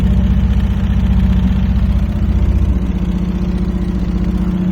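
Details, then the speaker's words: Free truck, no exhaust fitted: loud raw open-pipe idle with steady fast pulse and no misses, runs evenly and doesn't smoke; normal idle without exhaust. "you can use now that is enough we don't need an exhaust"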